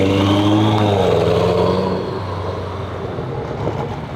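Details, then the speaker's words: Car engine blips and settles with a coarse, raspy crackle on the exhaust note, heard from the front; suspected exhaust leak, possibly a holed X-pipe; owner considering stock tips. "that [ __ ] sounds F nasty but my car looks beautiful we about to see what they talking about I do hear it in like the front 100%"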